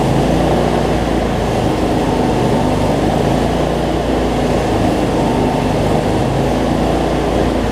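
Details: Cub Cadet zero-turn mower, Briggs V-twin, after adjusting a governor that let it race out of control and fixing rich running: steady, even drone, no surging or hunting, no black smoke; runs normally, battery not charging.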